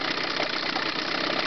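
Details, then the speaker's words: Chrysler 9.9hp two-stroke outboard (Chrysler/Sea King carburetor) idling smoothly with a steady even buzz after the lean misfire was cured by backing the low-speed fuel mixture screw off about a quarter turn; leaning slightly raises speed. "now I'll lean it up a little bit again through the low speed mixture you can hear the engine come up a little bit in speed just like so and we can return it down to idle"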